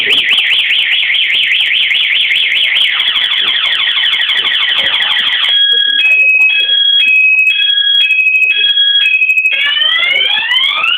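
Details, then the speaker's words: Anti-theft alarm on a model 650S motorcycle in sound-on lock mode giving its full siren for about 20 seconds: a loud electronic siren cycling through fast warbles, two-tone alternation and rising sweeps. "มันจะร้องอย่างเงี้ประมาณ20วินาทีนะครับ"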